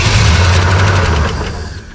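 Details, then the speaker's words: 1967 Pontiac Tempest four-door, first start after sitting a few years: the starter drags the engine over slowly and unevenly, then fades within two seconds. Slow cranking from a weak battery. "Battery sounds a little weak, but otherwise pretty good."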